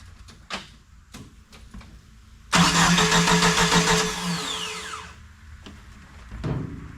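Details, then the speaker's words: Jeep YJ, sitting about 6 years, fuel pressure present but timing light shows no spark. Starter cranks steadily about two and a half seconds, never fires; failed ECU. "Well, no spark. The fuel pump should have been a hint."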